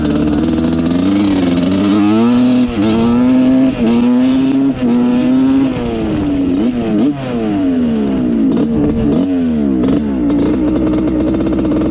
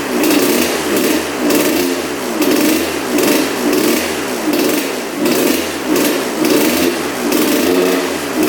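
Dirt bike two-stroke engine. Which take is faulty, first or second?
second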